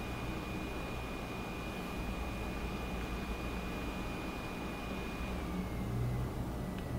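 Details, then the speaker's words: Wacom Cintiq Companion 2 tablet running OS X, just after a Cinebench test: faint steady high fan whine steps down in pitch as the fan drops from high to about the second level, then toward barely audible idle; medium fan speed. "high gear so you can probably hear it pretty loud but then after the test immediately it goes back down to about the second fan level I'd say and [Music] shortly after now it's gone down to barely audible idle so right now I can't even really hear it um let me open up Photoshop it's kicked up to about the second level"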